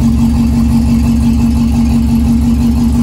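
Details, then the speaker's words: 1961 Morris Minor pickup, first start after sitting, with new radiator, master cylinder and brake hoses: engine catches and settles into a steady, even idle with no knocks or misses; oil light goes off. "oil light did go off we don't have an oil gauge so we'll assume that we have wall pressure"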